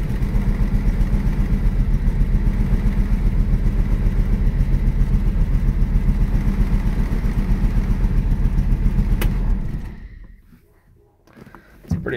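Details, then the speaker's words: 1965 Ford Mustang coupe, six-cylinder, three-speed manual, not run since last year: lumpy idle pulsing about four times a second with a gap in the beat, shaking, then it dies. Misfire at idle; later fixed by setting points, cleaning plugs and setting timing. "shaking a little bit well sounds like it's missing"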